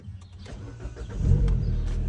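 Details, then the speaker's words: 2013 Mini petrol after temporarily clamping rusted-through exhaust flex pipe with old hose clamp: catches and revs with smooth deep exhaust note, much quieter, no puffing from the leak. Quiet exhaust, no leak blow. "Oh man. Yeah, a lot quieter. All right, that seems to have quieted the car down quite a bit."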